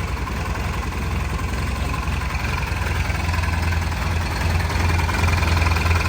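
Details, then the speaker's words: First start of fuel-injected 1972 Honda N600 two-cylinder on an aftermarket ECU, factory fuel pressure regulator with return line, not yet tuned with wideband: steady, even low putter at idle with no knocks, misses or surging; normal healthy idle. "sounds pretty damn good that's our invention boys that's our invention family"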